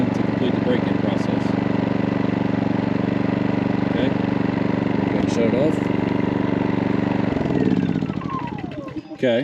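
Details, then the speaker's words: New MaxPeedingRods 3200 W inverter generator switched to eco mode after about 15 minutes of full-speed break-in: low, steady, even hum with no surging or knocks, then a smooth wind-down at shutoff; normal eco-mode running. "so we're going to put an eco mode so quiet it is not too bad"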